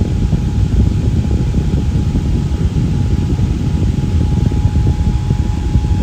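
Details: Fan with Lakewood blade set, run at full power; not oiled after reassembly. Steady even whir with a faint constant hum, no squeal or rattle; normal running, motor and bearings sound healthy.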